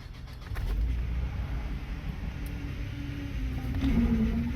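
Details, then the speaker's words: 2010 Chevy Traverse started after valve cover replacement and power steering fluid refill: low, steady, slightly rising whine from the power steering pump over the engine rumble, with a leak smell and a camshaft position sensor bank 1 code. "oh that power steering pump sounds ter terrible got to check engine light right away"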